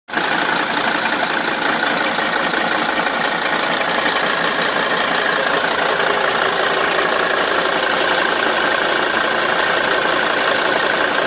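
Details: Mercedes 270 CDI diesel idling with a loud metallic clatter about three ticks a second; rattle from the engine, source part unknown.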